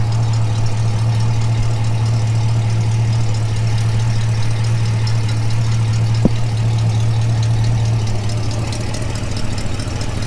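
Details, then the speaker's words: 1965 Mustang convertible, refreshed 289 V8 with AOD conversion, idling, listened at exhaust manifold through a tube: steady low drone with soft uneven puffing tick; exhaust leak, suspected loose manifold donut gasket. "yeah i think that's i think that's the case i think the uh the donut or whatever's in there has been worked loose"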